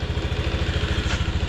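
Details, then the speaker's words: Honda NBC110 just fitted with a 130cc big bore kit and a ported exhaust, cold at about 5 °C with the fairing off; steady even low idle thump, extremely quiet, no knocking or rattles: normal idle. "I like that. Extremely quiet."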